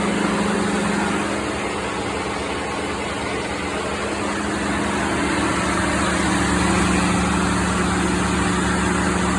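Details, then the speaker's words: 2016 Ford F-150 5.0: A/C on full cold, cooling fans kick on high with steady idle and even fan roar; high static high-side pressure, low side about 5 psi, owner suspects blocked expansion valve tripping high-pressure switch. "So I'm going to turn the AC on full blast cold, and you're going to hear the cooling fans kick on."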